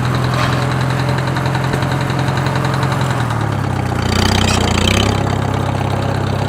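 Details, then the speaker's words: Farmall H tractor used for road mowing, knocking since last spring: a steady, deep knock in the low, chugging idle, unchanged with the clutch in or out. Owner unsure if it is a tappet, a worn camshaft lobe or something deeper; oil pan to come off. "he said last spring it started having a bad knock in it and i went over and looked at it and sure enough it's got a pretty noticeable knock in it"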